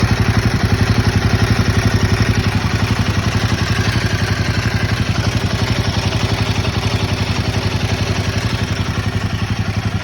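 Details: Royal Enfield Himalayan 452 motorcycle idling: fast, even ticking clatter riding on exhaust beat, tappet/valve noise issue.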